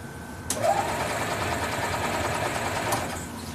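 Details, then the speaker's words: 2004 EZ-GO golf cart, quit after driving into a deep puddle: steady cranking but never catches; weak spark as ignition coil feed voltage drops out from a bad contact between battery, foot switch and ignition switch. "see the greens dropping out so somewhere between battery the foot switch and the ignition switch there is a bad bad contact"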